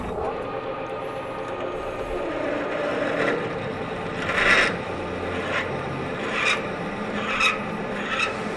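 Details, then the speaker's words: Manual metal lathe drilling 1-inch steel rod with a sharp bit and cutting fluid, fed from the tailstock half an inch at a time: steady dry cutting rasp with light chip ticks and no chatter, normal drilling. "nice beautiful chips coming off of there got a nice sharp drill bit"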